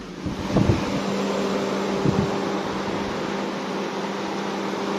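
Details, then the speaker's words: Mercedes-Benz W204 C230 after AC compressor replacement, vacuum and refrigerant recharge: steady even hum and smooth fan rush, the earlier pumping "puk-puk" knock gone, AC blowing cold; normal AC compressor operation. "ตอนนี้เตินน้ำยาไปพอดีแล้วนะครับแอร์เย็นเจี๊ยบนะแรเ็นชำนะแล้วก็เสียงที่ดังตอนนี้ไม่มีนะฮะตอนนี้เสียงดังเมื่อเช้าเงียบแล้วนะ"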